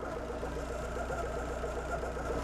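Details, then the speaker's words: Abarth 500 about 150 miles after an alternator replacement, at idle with the AC compressor not engaged: a light chirping squeal rides over a steady idle, similar to the earlier noise. Noisy auxiliary drive belt. "the noise went away however we've had another noise come back which almost sounds similar but I know that it's not now"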